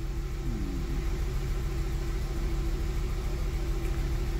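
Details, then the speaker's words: 2006 Nissan Altima idling after engine computer programming: low, uneven rumble with a stumble about twice a second, still misfiring, with a delayed start; current P0335 crankshaft sensor code also present. "still i have a misfire you hear it still you have misfire"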